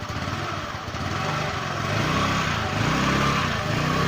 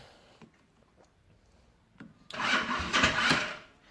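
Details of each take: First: Jialing 125cc four-stroke scooter that stood outside five years, on a test ride reaching 75–80 km/h after a crankshaft bearing replacement for a knock: smooth, even single-cylinder putter rising with revs, no knock or rattle; normal running. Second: Jialing 125 cc four-stroke scooter, stood outdoors five years: short sluggish starter whir with a few labouring turns, engine never fires; battery partly drained from direct-powered testing, needs recharging.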